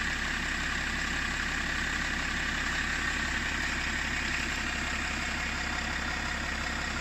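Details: BMW 525d LCI, M57N2 diesel: steady idle with low uneven chug about two pulses a second, generally rough idle, engine cover vibrating; owner asks if normal, cause unconfirmed.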